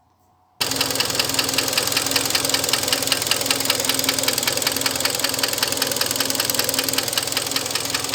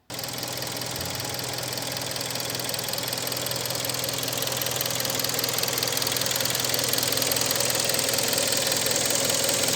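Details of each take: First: Hyundai ix35 2013, 2.0 petrol G4KD, almost 100,000 km, scored cylinders (4th cylinder): steady sharp metallic knock about two or three a second over the running engine. Piston slap; fixed by overhaul with cylinder boring. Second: Hyundai ix35 2.0 petrol G4KD engine, 2013, nearly 100,000 km, after an overhaul with cylinder boring for scoring in cylinder 4: smooth idle with only light, even ticking and no deep knock; normal idle.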